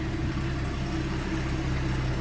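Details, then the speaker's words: 1967 Ford F-100, stock 240 cu in inline six, 4-speed, 87,266 miles, started easily and heard from the cab in neutral: steady, even low idle rumble, no knocks or misses; normal stock-engine idle. "you go, hear it run. Again, what you'd expect out of a stock engine."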